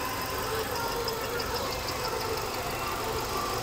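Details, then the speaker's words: Imported automatic Hyundai Tucson used car at idle: a steady, even hum with no knocks or ticks over outdoor background noise, the engine running very smoothly and sounding healthy. "đang nổ đây ạ Máy nổ rất êm luôn hầu như chỉ nghe tiếng ồn ào bên ngoài thôi còn con xe này máy nổ êm các bác nhá"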